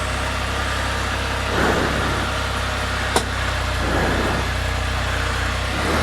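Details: 2020 Can-Am Spyder F3-T after fixing a no-start by cleaning and tightening connections: steady, even engine idle with gentle speed swells under 50 mph wind gusts, no knocks or misses; running fine.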